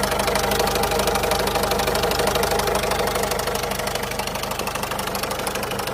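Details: 2008 Citroën Berlingo 1.6 HDi 55.2 kW diesel at idle: rapid steady knocking, about three beats a second, an occasional strange noise; cause unknown.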